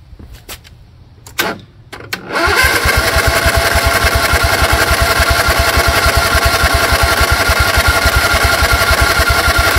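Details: Craftsman GT tractor (model 917.258873) with 18.5 hp Kohler CV18S 624cc V-twin, formerly hard-starting, just after carburetor replacement (Kohler 24 853 41-S, new gasket), jumper pack on low battery; clicks, brief crank, catches, then even steady putter, no misses or knocks; normal idle.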